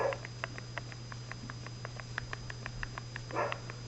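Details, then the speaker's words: Traxxas Slash/Stampede 4x4 RC car, pinion rocked by thumb while the spur is held: light, crisp plastic ticks about six per second, showing correct gear mesh with slight play, neither too much nor too little. "hopefully you can hear that clicking sound you have to hear that then either it's set or you have to move it back a little bit more and that's perfect for me you can see the play right there you can't have a lot of play and you can't can't have too little"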